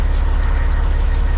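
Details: Caterpillar-powered semi truck with an intermittent no-start, with the dash apart: deep, even diesel idle with a steady low thrum and evenly spaced firing pulses; smooth, healthy idle.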